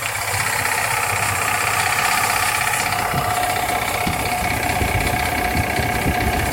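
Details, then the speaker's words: 2001 GMC Sierra (4.8L/5.7L LS V8) at idle, fast metallic lifter-like rattle from the AC compressor area when AC engages, gone when AC off, louder with use; compressor, clutch or tensioner suspected, tensioner replaced. "this one's got when the AC compressor engages ow mosquito it makes a lot of rattling sounds almost sounds like a lifter tapping but it's definitely coming from the compressor area"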